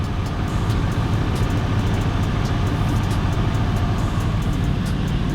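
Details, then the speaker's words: 1999-2008 Chevy Silverado after new AC compressor belt and tensioner pulley, AC on max: deep, even idle rumble with no belt squeal, chirp or slipping as the compressor clutch engages and pulls normally, cold air at vents; normal idle with AC compressor engaged. "I just heard the clutch and gaug let's go check it out I already felt the cold air"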